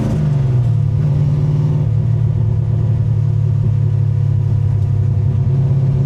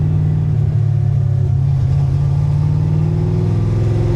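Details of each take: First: 1965 Grey Ghost V8 with 4.11 gears, cruising in third gear: steady deep drone with faint cam lope, which shows more below about 2100 rpm; running smoothly. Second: 1965 car with an Anderson N91 camshaft and a recurring misfire despite repeated fixes, heard while driving: deep, loaded V8 rumble with an uneven, stumbling beat of a cylinder dropping out. Owner suspects a leaking cylinder or a valve guide leaking oil.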